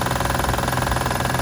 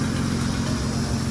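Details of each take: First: 2006 Acura TL Type-S 3.5 V6 idling with a regular light knocking tick like lifters or valve knock, actually coming from the timing belt tensioner. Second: 2006 Acura TL Type-S 3.5 V6 after timing belt and tensioner work fixed a lifter-like tapping noise from the tensioner: smooth, even idle with a steady low hum and no ticking or knocking; runs quietly.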